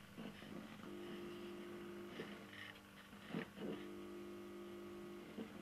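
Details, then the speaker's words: Homemade stereo amplifier built in 2008 from salvaged receiver and boombox parts, powered on after many years unused: a steady low hum with a faint buzz, plus a few handling clicks. Amplifier hum. "might be able to hear that hum in the background"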